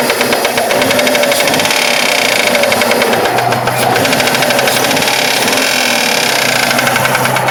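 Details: Mitsubishi 3000GT at idle: fast fairly even sharp ticking knock; rod bearings already replaced and within spec, owner suspects a collapsed lifter, not confirmed.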